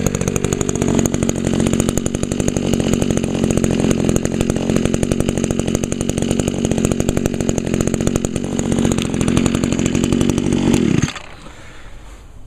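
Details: 2002 Echo SRM 2400SB slip-boom trimmer, 13 years old; cylinder was fogged, muffler clean; crisp, even buzz at steady high revs with no misses or surging, then a clean cut-off. Still running good, normal running.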